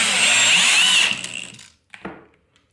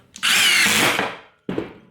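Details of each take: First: Drill driver on torque setting 2 driving a screw beside an impact driver: motor whines steadily under load, then drive cuts out abruptly with trigger still held; clutch slipping at the low torque setting. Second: Impact driver driving a screw: short high whir turning to a rapid rattle as the impact mechanism kicks in on sensing resistance, then a brief final burst. Normal impact action under load.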